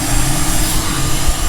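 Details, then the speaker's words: 6.7 Cummins diesel running right after a BD Screamer turbo install (intercooler boot and intake refitted), exhaust brake on: deep, steady roar with a throaty exhaust-brake note, no knocks; sounds good, truck feels a little snappier. "sounds good. Obviously the exhaust brake's on right now. It sounds good. Truck's a little snappier just from what we can tell."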